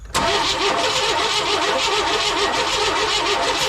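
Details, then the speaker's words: 1998 Chevy C1500 truck, with carb cleaner sprayed into the intake: steady even cranking but no firing pulses; cranks with no fire, owner checks the number three plug for spark. "it's almost like I didn't get any fire turn it over again so I put a carb cleaner down the down the Yap of this guy and it wasn't firing"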